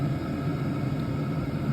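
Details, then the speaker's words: DWALE Chinese diesel heater, Bluetooth-controlled, running on high before shutdown: steady low burner and fan roar, even with no sputter or surging; heater running healthy at full output. "So it's running on high, and there's one more thing you got to pay attention to."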